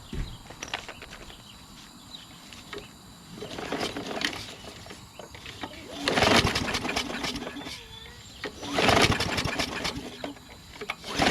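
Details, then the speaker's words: Craftsman push mulching mower with a Briggs 550EX engine, with propane fed in and the fuel off: several recoil pulls, each a short whirr, and it never fires. It cranks but won't start; the owner doubts the carburetor and suspects an internal problem. "I don't think it's going to work, guys. Alright, that's not going to work. I don't think it's carburetor. I just don't."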